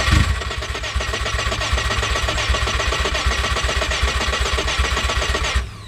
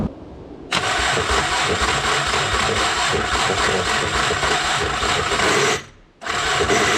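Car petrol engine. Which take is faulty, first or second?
second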